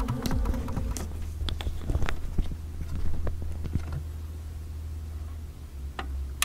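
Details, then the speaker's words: Corsair H100 water-cooling pump in a PC with a new Corsair power supply and eight Corsair SP120 quiet fans: steady low hum under light clicks, far louder than all the fans; the pump is the noise source and Corsair replaced the unit. "that noise you hear is entirely hello from the pump they're eight fans running"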